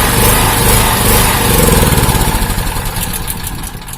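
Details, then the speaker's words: Honda GX160-type engine on a 2000 W generator surging, speed rising and falling in waves; ignition coil suspected as cause of the hunting. "Masa saya saat ini saya curiganya di bagian pengapian teman-teman bisa jadi di kuilnya Hai yang bermasalah"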